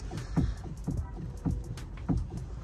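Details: Hyundai i20 with knocking in the steering: hollow clunks about twice a second as the wheel is worked back and forth. Mechanic suspects play in the steering column or steering rack; cause not yet confirmed.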